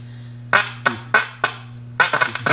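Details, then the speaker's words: 1937 Gilfillan 731T-C radio: audio is clear at the second IF filter, yet the speaker still distorts considerably; steady mains hum with harsh, choppy bursts of program sound. "we still have a considerable Distortion so let's move up to the uh 6 F5 tube next"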